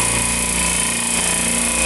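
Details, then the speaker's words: Refrigeration compressor with oil problems, net oil pressure swinging between 22 and 10 psi: a hard, rapid rattling knock over a bright metallic running noise; owner suspects bad internal bearings or a worn oil pump. "they still still don't sound good i'm debating whether i should even try changing the pump but i mean it's something internal in this compressor is not right"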